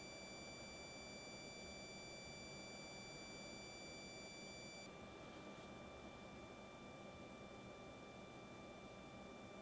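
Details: Faint, steady high-pitched whine over soft hiss from an electroluminescent lighting inverter after silencing it with hot glue and foam; the coil whine is much reduced but still faintly audible.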